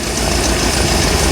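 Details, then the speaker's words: 1975 Bricklin SV-1 V8, carbureted, tune-up: a lumpy, popping idle that won't hold but picks up when revved. A temp gun on the exhaust shows three cylinders not firing; the carburetor is suspected. Engine misfire, dead cylinder. "yeah it's missing on this you hear it popping and banging"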